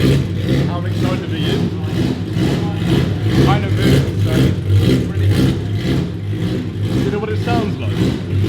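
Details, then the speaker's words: BMW E30 M3 track car with a swapped S65 V8 and DCT at first start, with no silencer fitted: loud, raw blips with a deep lumpy burble; it revs cleanly and sounds healthy. "yeah we just cuz we've got no silencer on it sounds awful it will be fixed"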